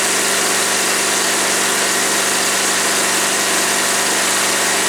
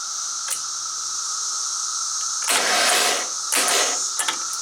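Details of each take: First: Woods 6180 zero-turn mower, 18 hp Briggs & Stratton Vanguard twin, with an air filter borrowed from another V-twin: steady, even hum with no misses, knocks or surging; runs smooth. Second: Woods 6180 zero-turn mower, 18 hp Briggs & Stratton Vanguard, throttle on slow, battery on charger: two short whirring bursts with no engine turnover; the starter spins but does not engage. Owner suspects a weak battery and was told the starter is going bad.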